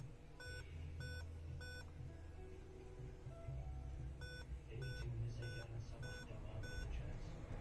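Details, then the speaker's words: Dell Inspiron 5520 laptop repeating five short, evenly spaced beeps at power-on, a POST code for a dead CMOS battery; replacing the CMOS battery restored the display. "Evet bu 5 bip hatası arkadaşlar bosin bittiğini gösteriyor bos piliyle alakalı bir hata veriyor"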